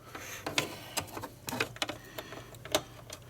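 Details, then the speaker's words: Xbox One S console bought as junk, seller says it powers on then shuts off within seconds: irregular sharp clicks, a few each second, in a quiet room from the hard drive; suspected failing hard drive, head audible, not confirmed. "so there's a hard drive fault yep I've got something I can use"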